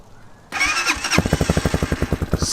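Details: Newly assembled Hawk DLX Chinese single-cylinder enduro, first start in neutral after adding fresh fuel. The starter whirs briefly, then it catches at once into a quick, even putter of evenly spaced pulses, smoking a little; normal start and idle.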